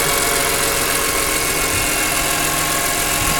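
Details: BMW E46 M3 engine at even idle with a fine, quick ticking riding on top, steady throughout; source of the tick not yet pinned down.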